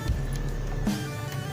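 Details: Yamaha old Vixion motorcycle that stalls and won't start: a steady low fuel pump priming hum at key-on after reconnecting, normal priming, with music in the background.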